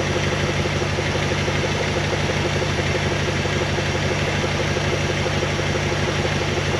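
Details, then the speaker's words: 1974 Dodge W100 Power Wagon V8 revived after sitting 41 years: deep, even idle with steady low rumble, no popping or blow-by; exhaust leak before muffler; engine healthy, sluggish under acceleration possibly from the transmission. "the engine sounds good it sounds healthy it's under acceleration where this thing's just a dog might be in that transmission"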